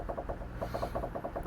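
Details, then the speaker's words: Vauxhall Corsa D front anti-roll bar and lower arm squeezed by hand while hunting a front-end knock: quick dry clicking, roughly ten a second. A worn drop link, whose noise carries through the bar; replace it. The other side is fine. "that's obviously going to transfer through that anti-roll bar. It's going to make it sound like it's coming from sort of everywhere under the front end, really. But yeah, get a drop link ordered and get that changed."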